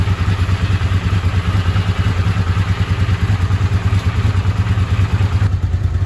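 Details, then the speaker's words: Honda CX500 vintage motorcycle after carburetor and ignition repairs with ultrasonic-cleaned carbs: steady, even twin beat with smooth regular pulse, no misses or pops on test run; pulls strong, unlike before, running normally. "test run and it runs really nice I love it pulling strong not like it did before"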